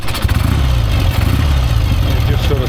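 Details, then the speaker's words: Barn-find BSA classic twin with replaced cracked cylinder: uneven, stumbling low exhaust beat with missed, ragged firing; spluttering rather than running clean, cause not pinned down. "just sort of splitter and splutter."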